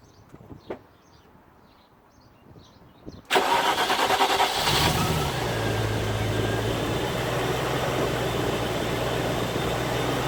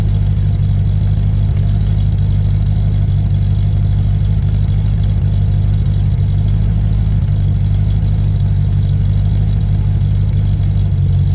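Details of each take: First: Land Rover Discovery 1 3.9 V8, first start after about 18 months standing, cranked first to build oil pressure: it catches almost instantly, flares, then settles into a steady, even idle. Healthy start; a lifter sometimes taps on start. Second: Land Rover Discovery 1 3.9 V8, first start after about 18 months standing, oil pressure primed first: deep, loud, steady idle rumble with nothing muffling it, because the centre exhaust silencer pipe is missing.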